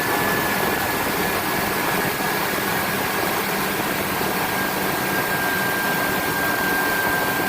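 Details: Ford F-250 first startup after new engine install: steady, even idle hum with a faint constant high tone, no knocks or misses; runs smooth.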